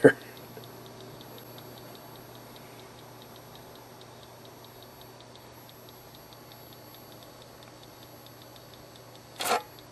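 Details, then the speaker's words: Tandem chassis TV set: a fast, faint, even ticking over a quiet electrical hum that speeds up with the width control and fades at minimum width, seemingly near the width control rather than the flyback; source unconfirmed. "there's a ticking sound the ticking varies with the width control"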